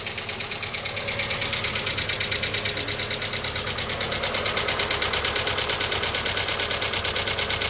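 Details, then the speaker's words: VW Fox 1.0 at 33 °C cold idle with oil pressure above 3 bar: sharp, even top-end tapping about three times a second. Early lifter wear is suspected and needs teardown to examine; the engine also shows low oil pressure. Worn camshaft and lifters. "tem pressão de óleo tá apresentando o barulho bem provável que seja tucho aí tá tem que tirar aqui para examinar mas tá com início de tucho pois ele tá apresentando um barulho"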